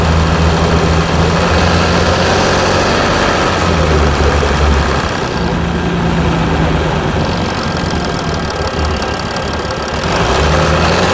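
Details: Mercedes E320 CDI S211, 3.2 V6 diesel 224hp, 250,000 km, 7G-Tronic, DPF and catalyst removed, cold start after a week, smokes slightly on start: clattering idle with a low beat surging and sagging every few seconds instead of settling; rough cold idle.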